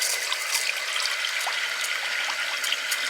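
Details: Well water system after repairing the leaking pop-off valve, checked over an hour later: steady hiss of water running hard from the tap, no air spitting or sputtering; pressure strong, fixed.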